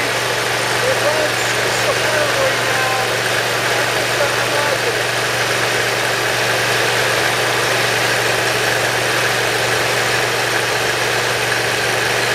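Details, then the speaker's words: Briggs & Stratton Intek V-twin mower engine after valve lash adjustment, Nikki carburetor jet reaming and governor adjustment: runs at an even steady speed with no hunting or surging; starting and running now good, earlier hard starting blamed on not using full choke. "You know, the starting is great, and the the starting is good. The running is great,"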